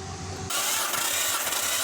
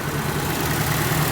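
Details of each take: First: Nissan Skyline R34 RB28 cranking during a compression test with throttle held wide open: steady, even cranking rhythm with a brief load change midway, no stumbles; all cylinders close, healthy engine. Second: Nissan 240SX S13 SR20 running rough, smoke out the back after oil fell into cylinders: lumpy, uneven idle with low stumbling beat, shake and missing, sounds cool but no power though it builds boost; ignition timing suspected way retarded.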